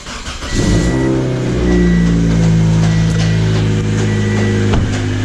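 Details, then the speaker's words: 2007 Pontiac Vibe, supercharged, 200k miles: first start after belt tensioner and mount replacement, fast idle relearn; faint light clacking over the hum as the supercharger idler pulley still clacks back and forth, cause not yet pinned down. "i wanted to kind of really figure out what was going on before i said anything because uh the supercharger idle pulley is still like clacking back and forth"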